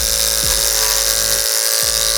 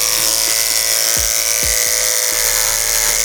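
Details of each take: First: Hair clipper whose blade was sharpened on a block, cutting a chunk of wig hair: a high buzzing hum that drops in pitch and labours as it meets the hair. The blade drags and slows the motor but still cuts. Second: Hair clipper cutting thick hair after the blade was sharpened on a block and oiled: high steady buzz dips briefly as it bites, then recovers fast; still bogs slightly on thick hair but far less than before.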